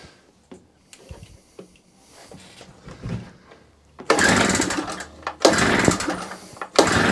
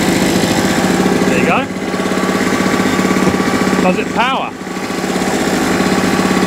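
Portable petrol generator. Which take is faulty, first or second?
first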